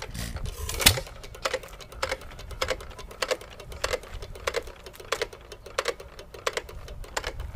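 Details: Hit-and-miss engine (1½hp T. Eaton or 4hp Nelson Brothers) freewheeling, no governor springs, throttle at slowest runnable setting: light, evenly spaced clicks about every two-thirds of a second as the cam knocks the exhaust latch arm each cycle; normal.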